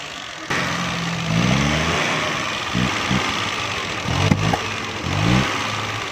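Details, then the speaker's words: Weak ignition coil supplying too little current on a Suzuki Mehran 796 cc running on gas: engine idles, won't take revs, stumbles with sharp exhaust pops when revved, causing loud backfire. "बस दोस्तों, ये कोयल current supply नहीं कर रही, कम कर रही है, थोड़ा कर रही है, जिसकी वजह से ये गाड़ी बहुत तेज़ बैक लगाती है, पटाखे लगाती है।"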